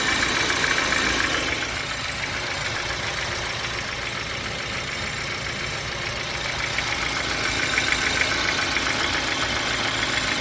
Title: Bmw n43 engine knocking help